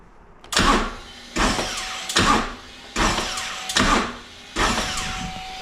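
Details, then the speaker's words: Brand-new 2024 Harley-Davidson CVO ST Road Glide with about 500 km, after charging and a new battery: repeated short starter bursts about every second, each stalling abruptly at compression with no firing; crank no-start, owner suspects an electrical issue. "So the bike goes up to compression and then throws out the starter motor. And that's what it's done since the moment I tried to start it up until the replacement of the new battery."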